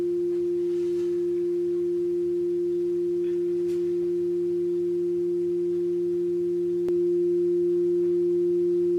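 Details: Hofler thermoacoustic tube with a steel-wool stack heated by a methylated spirits burner, the basis of a Stirling engine: pure steady hum around 350 Hz with a softer lower note beneath, holding level; the tube resonates properly.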